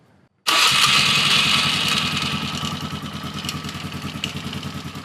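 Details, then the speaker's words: Polaris Sportsman 450 ATV with original Mikuni carb and new spark plug, no choke or enricher; catches and settles into fast idle with a light steady ticking on top; owner suspects starter clutch rollers, unconfirmed; otherwise runs well. "I don't know what the hell that clicking is. Sounds like the starter clutch rollers banging around."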